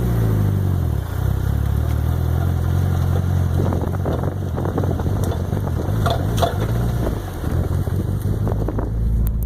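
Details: Mitsubishi Evo 6 in gear on sharp left/right turns: low drivetrain rumble with irregular hard clunks from under the car, gone with clutch in; owner suspects rear diff, carbon driveshaft or recently rebuilt transfer case.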